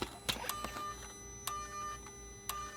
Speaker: t on with the scan tool it actually makes that clicking sound which tells me that the gears in this actuator are bad